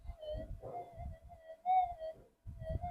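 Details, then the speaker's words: Unstable, chirpy threshold on a Minelab GPX-5000 metal detector after a frequency scan, in mono mode: a mid-pitched hum wavers, swells and briefly drops out, wishy-washy rather than steady; owner finds the 5000 noisier than the 4500, cause unconfirmed. "It's chirpy as hell."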